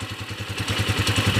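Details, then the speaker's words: TMX155 single-cylinder after repair (previously noisy timing gear and heavy smoke; original lining, clutch damper, magneto, valve seal, pushrod replaced), carb being tuned: steady even idle thump, no ticking or clatter. Now quiet, normal idle. "Okay Ayan na po tahimik na hindi na po kagaya kanina"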